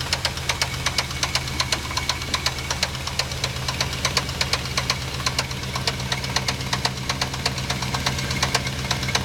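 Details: 1987 Chevrolet C10 V8 idling with a sharp, fairly regular knock about two to three a second over a low rumble, loudest around the driver's side header, which later started smoking there.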